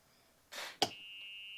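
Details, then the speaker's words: Club Car Precedent golf cart running on a MidNite PowerFlo5 5.12 kWh lithium iron phosphate battery, key on in run mode: a clunk into reverse, then a steady high-pitched buzz. Normal reverse warning buzzer. "Hit it in reverse. We hear the reverse buzzer."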